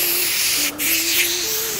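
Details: 2010 Toyota RAV4 running engine with a loud steady hiss of air escaping at an intake hose/pipe that is leaking air.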